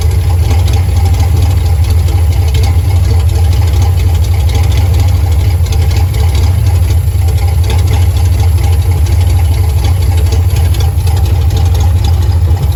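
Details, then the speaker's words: Carbureted car with ongoing fuel pressure problems idles with a low drone and an uneven, labouring beat. Owner says it's starving for fuel, cause unknown; he plans a new filter and carburetor clean. Rough idle. "yeah that brother starving it's in his fuel start I don't know what's wrong with it I have no idea"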